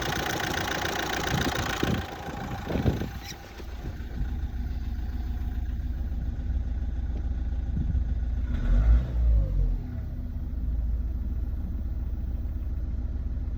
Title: Z17DTR astra rough idle, strange idle